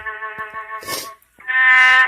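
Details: Melody in Motion Cellist figurine's small internal tape player after refitting the rubber band that drives it: clear, sustained melody at steady pitch with no drag, warble or dropouts. Normal playback; the missing belt was the whole fault.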